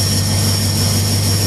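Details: 1938 Chevy V8 running again after an oil change, checked for leaks: steady, even low drone with a constant faint high whistle, no knocks or misses; normal, healthy idle.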